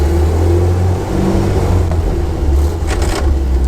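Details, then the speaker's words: Land Rover Series II with a Weber carburettor, shifting gear: a steady low engine drone, then a harsh half-second grating burst as the gear engages. Owner suspects the clutch is not fully disengaging, plus imperfect rev matching. Gear grinding on shift. "Yeah, you see that's quite a graunch. And my rev matching probably isn't the best, I'm sure you'll tell me."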